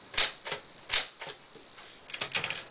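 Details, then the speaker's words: 1965 Smith-Corona Sterling manual typewriter, bought out of order and now working, with a very noisy hammer touch, gives sharp, loud clacks from single key strikes at an uneven typing pace; working normally. "It is very noisy hammer touch, like I will show you now."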